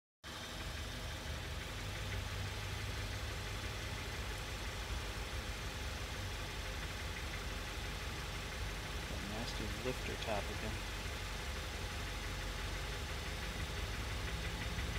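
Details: 2016 VW MK7 Golf R, about 41k miles: idle with light, fast valvetrain tick over low hum, worse after extended idling, eased as oil warms; also slight off-boost power loss and uneven exhaust note; cause unconfirmed.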